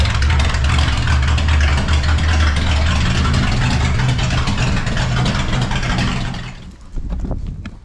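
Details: Vehicle, cold start after sitting about one to two months, open pipes with no mufflers: loud, deep, steady idle rumble, even and unbroken firing before shutdown; healthy, normal start and idle.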